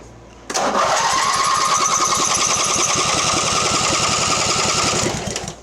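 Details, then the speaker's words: Mastercraft (MTD) riding mower, premix in carburetor, no exhaust fitted: starter spins steadily three to four turns a second for five seconds without catching; no start, weak intermittent spark; flywheel magnet later sanded, coil gap set. "Okay, let's check for spark again. Fancy spark tester. That has an intermittent spark. Alright, so we had a bit of a intermittent spark there. It was really weak."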